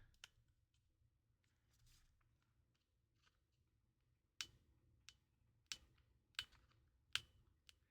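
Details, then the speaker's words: Blue Nintendo DSi XL with replaced shoulder buttons during testing: sharp plastic clicks about every 0.7 seconds, some dull and uneven; one shoulder button not clicking properly, possibly gummed by leftover flux. "Is this the one with Oh, that shoulder that shoulder button's not clicking."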